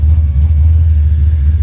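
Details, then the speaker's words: Big-block Monte Carlo hot rod after brakes and alignment done: deep, steady low V8 rumble idling evenly, no knocks or misses; running healthy. "Sounding good. Looks good outside."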